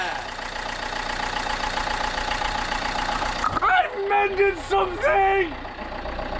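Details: 1.9 JTDM/CDTI diesel on its first start after a snapped timing belt rebuild (new timing belt, water pump, rockers, pulleys, glow plugs). Ticks over at a steady, even idle with no knock or stumble. A healthy normal idle.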